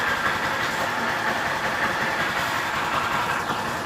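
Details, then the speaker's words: Honda Fan 160 motorcycle idling with a light, fast valve-gear tick; normal due to roller rocker arms, no adjustment needed, as adjusting can tighten valves and stop the idle. "Então é isso aí agora quando tá muito barulho mesmo tudo bem né isso aqui já é outro caso entendeu então por ele ter esses Zinho aqui fica um barulhinho pequeno"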